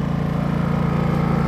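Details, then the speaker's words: Champion 4500 dual-fuel inverter generator on propane, new, about two hours into five-hour break-in, 122 V 60 Hz output: smooth, steady low hum with even quick pulses, no knocks or surges; quiet, normal running. "I love this thing it's really quiet of course I just got it so so far I love it"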